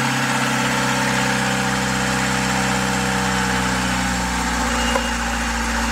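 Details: Old marine diesel engine restarted after sitting five years, following a revival procedure: steady, even idle with a low thrum and no knocks or misses; runs smoothly.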